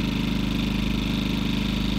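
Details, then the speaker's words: Generator on a marine kicker rig in economy mode, running at idle with no load (lights off): steady, even low drone with a smooth quick pulse, no knocks or surging; normal idle. "that's what she sounds like. Gets a little louder. It's got an economy mode, so it only runs as hard as it needs to power whatever's hooked to it. So right now the lights are not on and it's running at idle."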